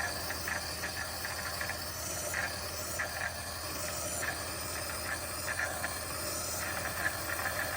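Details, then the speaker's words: Terra Kaffe TK-01 super automatic espresso machine, a few months old, adding milk after the espresso shot, drawing milk from the milk container; soft steady steam hiss with light ticking, normal frothing, no sputter or strain. "okay and now what it's going to do since it's finished that it's going to put the milk in so it'll pull straight from the kff"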